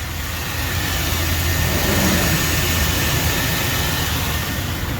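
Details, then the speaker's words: Jeep after replacing the water pump (a customer had been told the alternator was bad): even, steady idle with a smooth low rumble and no whine, rattle or knock; the earlier noise is gone. "All right, I'm done, guys. The noise is gone."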